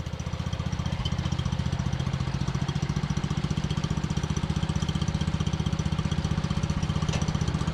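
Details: John Deere 110 mower that sat in a garage about 10 years, started after longer cranking once a jumper start failed: steady, even single-cylinder thump about four beats a second, no misses or knocks; normal idle.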